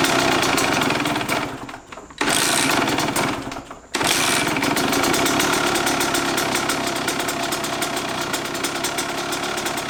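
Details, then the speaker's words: Kawasaki KX125 two-stroke that sat far too long, first start after a couple of kicks and stalls: ragged, uneven idle, a rough idle. "okay well she has a rough idle which is understandable"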